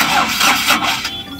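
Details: Ashok Leyland Dost BS4 diesel with Bosch EDC17 ECU: a steady starter churn lasts the whole clip and never fires while the sensor frequency is viewed on an oscilloscope. Cam and crank sensors, wiring and signal check OK, with air filter fine; crank no start.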